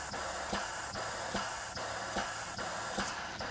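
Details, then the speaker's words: Waterjet pump testing 3D-printed PLA decreasing-area nozzles above 30 psi: sharp clacks repeat fast and evenly over hissing spray; pump short-cycling, nozzle only loading it about 5-6 psi, owner suspects. "I mean you can hear how much the pump is cycling it's just kind of that's all it's got that's all the backup it has and it's cycling very"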